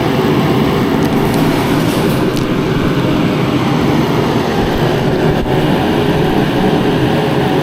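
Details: Mr. Heater Contractor Series forced-air heater on its low setting, lit after a 20-second fan purge: steady, even roar of fan and burner, not loud, no surging, popping or rattles. Running cleanly on low, blowing decent hot air.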